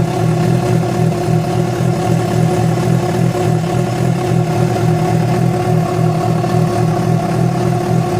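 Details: Yamaha FZ6 revving, with abnormal engine noise that began after riding about 70 km on two cylinders because of a failed ignition coil connector: steady roar with a dense, slightly uneven beat and an odd extra noise; cause not pinned down.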